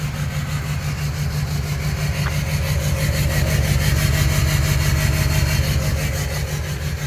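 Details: Duramax LMM diesel with cylinder 7 misfire: rough, lumpy rumble with a regular stumble about three times a second from a dead cylinder.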